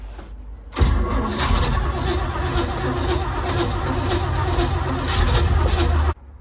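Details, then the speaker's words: 1948 GMC cabover truck, gas engine, first start after many years sitting: cranks and catches with uneven firing for about five seconds on partial choke, then cuts out. Spark and timing confirmed; fires but won't keep running, carburetor needs cleaning. "Well, let's fire it off. Well, at least we know we have spark and timing."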